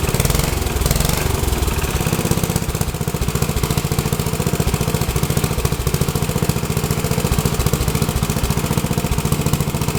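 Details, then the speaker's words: Rebuilt Troy-Bilt tiller, next day, after choke fiddling: fast, even single-cylinder putter around three to four beats a second, holding speed without stumbling; owner unsure of choke combination but it does start and runs good. "maybe it's full choke two poles and half choke or no choke I don't know it does start and runs good"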